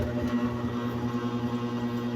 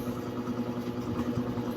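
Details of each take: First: Electric fan on a 220 V outlet: steady electrical hum with a faint pulsing beat, and the blades won't spin or turn only slowly. The motor bushing is seized; once hot the fan may run and then stop again. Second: 220 V electric fan that only hummed without spinning, after oiling the bushing with oil or WD-40: steady motor hum and light whir as it spins strongly at full speed; temporary fix, bushing and shaft tightening.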